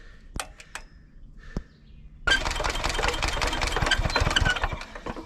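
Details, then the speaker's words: 1970s Hatz diesel compactor roller, hand-cranked with a compression release that must be reset because it shuts off after so many turns: one pop, then rough chuffing that almost catches and dies; hard starting. "oh did you guys hear it i made one pop made one pop it's gonna go i can feel it this is it ready uh you got to keep resetting the compression release because after so many revolutions it shuts it off and boy you know it when it shuts off oh it's real close oh closest one yet"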